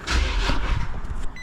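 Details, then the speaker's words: Crash-damaged Copart car with a Japanese-market interior, 3.7 L V6, started from an undersized jumper pack: brief heavy cranking churn, then catches and settles into a steady low run. Starts cleanly, normal. "This is a big boy of an engine though. 3.7 L V6. And this jumper pack is not designed for this size of uh engine."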